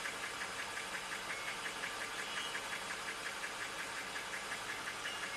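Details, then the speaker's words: 2019 Jeep Wrangler Rubicon Pentastar V6, 72,000 miles, P0300 and flashing check engine light: revved idle shakes, briefly smooths, then roughens, with light quick ticking; feels like single-cylinder misfire, fuel trims bank 1 +22%, bank 2 -5%; cause unconfirmed. "Right now, it does feel like a single cylinder misfire. Oh, it just started running smoother. Okay, back to its shake."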